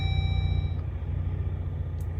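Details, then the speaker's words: Jeep Gladiator after hard, fast rough-terrain desert driving, electronics malfunctioning (blind spot alert unavailable, infotainment rebooting): single clear ding over low engine rumble, random blind-spot warning chime, cause unknown. "We're getting all kinds of random dings, blind spot."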